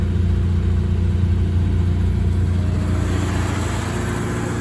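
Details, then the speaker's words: 1962 Mercury Monterey Commuter V8 after an ignition tune-up with a Pertronix kit, coil, cap, rotor, plugs and wires; carburettor not yet adjusted, choke on. Starts and settles into a steady, slightly high idle with an even rumble and no misfire. "So with the choke on, sounds pretty good."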